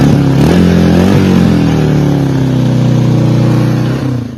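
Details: 1982 Honda XL250R single-cylinder, first start after service work and 1.5 L oil change; the seller had been told the noisy engine was finished. A crisp beat climbs cleanly with throttle and settles back, with no ticking or rattle. The engine is healthy.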